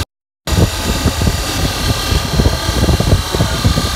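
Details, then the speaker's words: 2004 Dodge Ram 1500 at idle: constant gritty whir over the engine with felt vibration; removed belt shows alternator not spinning freely, worn alternator bearing; alternator, idler pulleys and belt tensioner being replaced. "I can hear it coming from the alternator. I can feel it. The vibration's not good. When I took the belt off and spun it, it doesn't spin freely. Sounds pretty bad."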